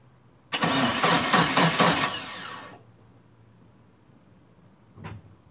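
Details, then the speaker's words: Turbo Eclipse GST, first start attempt after about 9 years off, battery charged, fresh fuel: about two seconds of steady cranking, no catch, then silence. No fuel pump prime heard; scan points to the fuel pump, bad or faulty wiring. Crank no-start. "so right off the bat uh i don't hear the fuel pump priming um i'm gonna have to check the wiring on that before i i would hear it wind up real loud"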